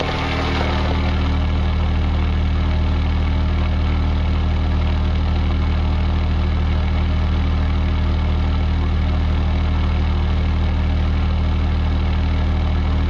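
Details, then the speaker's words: Denyo DCA-15SS-N genset with 1.6 L 3-cylinder Nissan diesel (18 PS at 1500 rpm), over 30 years old, first start in years, now warmed up and no longer smoking: steady even idle, regular low thump, no knocks or misses; running perfectly. "okay friends that's all I guess it's running perfectly that's a really really real reliable little machine we have this thing since the mid-80s and it never lets us down"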